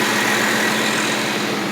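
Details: 1980 Lincoln Continental idling after replacement of the ignition coil and starter solenoid for a no-start: a steady, even idle hum with a bit of hiss over it and no misses or knocks; it runs normally.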